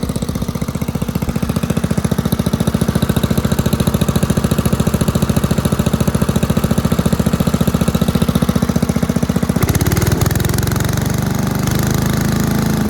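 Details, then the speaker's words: 1984 MTD Air Sweeper (model 245-692-000), 36 years old, flathead Briggs & Stratton 5 hp (engine model 130212-1731-01): crisp, even putter at steady speed, settling slightly after a brief change, no misses or knocks; healthy. "It ran at full speed just fine, idled down, sounded really nice, better than most newer engines actually."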